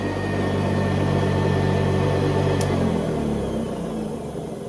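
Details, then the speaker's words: 1970s Hoover Convertible vacuum, about 50 years old, motor on high speed (400 to 625 watts): even steady hum at full speed, no rattles or scraping, then winds smoothly down; healthy motor. "what I'll do is I will switch it on, and then you can hear the motor shift into high speed. So they go from 400 watts to 625."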